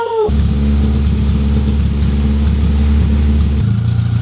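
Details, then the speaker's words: Mk1 Toyota MR2 first start in about 12 years, no exhaust fitted: starter whirrs briefly, then engine catches and runs at a raw, loud fast idle before settling lower. "bear in mind that there's no exhaust fitted so it might be a bit light weld wrappings are gonna work"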